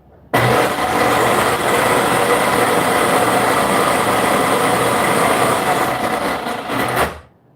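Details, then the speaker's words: Vacuum/shampooer plugged in to reproduce a noise: motor spins up sharply, holds a steady high whir for about six seconds, then winds down; abnormal noise traced to the motor itself. "Yeah, that's our motor. All right, that's our motor."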